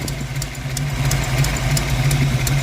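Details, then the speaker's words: Ford 302 V8 in Mustang after valve adjustment: lumpy idle with rhythmic stumble and sharp puffing ticks about three a second, heard from the rear; cylinders 7 and 8 dead or weak, plus exhaust leak. "that's not good you definitely hear where the sound is coming from back [Music] here so it's down here"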